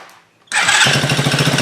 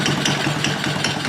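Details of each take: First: Chinese 50cc Honda-clone kids' ATV after wiring repair and clutch adjustment with added washer: fires first try, quick even putter with no knocks or misses, runs fine; clutch still makes it want to creep, needs more work. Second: Chinese 50cc Honda-clone kids' ATV, single cylinder, after wiring repair, idling before valve adjustment: quick even light clatter over the exhaust beat, top end sounds clacky; owner thinks valves need adjustment; clutch also needs adjusting.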